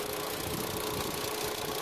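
Steady engine idle with an even hiss and a faint constant tone, no knocks or misses stand out; sounds healthy.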